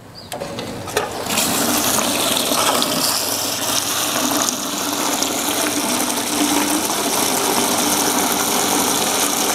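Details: Submersible pump made automatic with a pressure switch and control box: after a click at power-on, a strong steady rush of water builds and holds evenly, no surging; pump pushing hard and pressure rising, delivering well.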